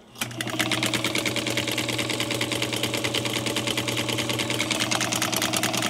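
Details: Machine shipped from Texas and damaged, possibly reassembled wrong, tested at full power with pedal fully down before cleaning or oiling: fast rattling needle-mechanism tick, never reaches proper speed; sluggish and dry.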